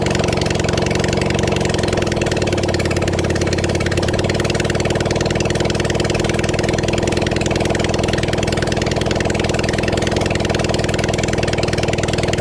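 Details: Kawasaki Zephyr 750 under restoration, carbs fitted, spark plugs cleaned, refuelled, a bit of choke, string as throttle: steady busy four-cylinder burble at idle, even pace, no knocks or misses. Normal idle, running properly.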